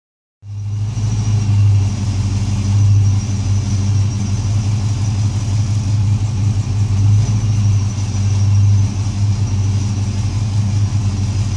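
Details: LS1 V8 at idle: deep, slightly uneven rumble with stumbling beat; misfire.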